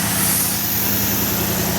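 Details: 2017 Ford F-150 with a 5.0L Coyote V8, complaint of an engine tick or knock, here on a cold start at high idle of about 1300–1400 rpm: a smooth, even hum with no ticking or rattling, normal cold high idle.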